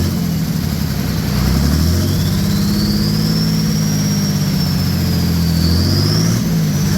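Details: OM603 Mercedes diesel in a Ford Ranger (Doomsday Diesel adapter, Ford ZF5), first start, revved after a brief warm-up with good oil pressure: a low rumble rises cleanly and eases back, no knock or misfire; normal revving.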